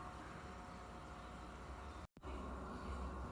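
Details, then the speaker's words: Grobo grow box after the loud stock air pump was replaced with a small USB-powered nano pump: a low, even hum with a faint steady tone and no rattle or buzz, mostly bubbler noise. Normal, quiet air pump operation. "now in fact I don't even hear the air pump I just hear the bubbler pretty much"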